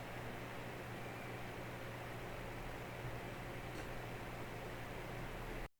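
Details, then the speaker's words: Small ITX PC after replacing the AMD Wraith Spire with a Noctua NH-L12S CPU cooler, at idle and during video export: a soft, even airy hush with a faint low hum, no ticking. Quiet and healthy, averaging 52°C. "that's definitely much better than the md stock cooler"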